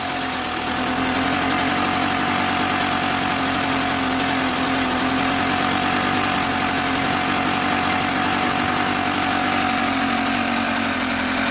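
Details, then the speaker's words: Mobylette X1 two-stroke moped after an engine rebuild, held wide open. A thin, uneven, ragged buzz that never settles, as if about to stall. Running far too rich; timing was correct. "Generally it only runs with the throttle fully open. It's fully open. It still sounds like it's going to stall, and it has."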